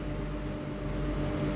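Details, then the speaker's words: High-speed cage (jali) fan after repair: jammed motor shaft bearings freed with WD-40 and a new capacitor fitted; steady even motor hum with soft airflow, no scraping or rattling, fan spins freely — normal running. "এইযে চলে। চলছে বন্ধুরা এ চলে"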